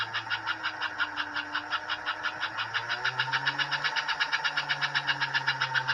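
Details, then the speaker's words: Pre-1957 all-metal American Flyer S scale locomotive, about 70 years old, drive wheels lifted off the rail: steady chuffing near four beats a second over soft motor hum; headlight on, running evenly. "oh there we go the headlights working 70 years old and it still runs"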